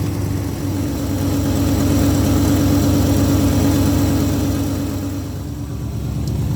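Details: Old Ford F100 V8 after running a new ignition supply wire, voltage now steady, before setting timing: smooth even idle with steady beat, no misses or stumbles; normal idle.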